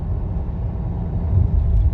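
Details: 2018 Fiat Toro on a test road over potholes after suspension noise repair (engine mount and bar bushing work suspected earlier): low, even road rumble with no clunks or knocks, quiet tight suspension.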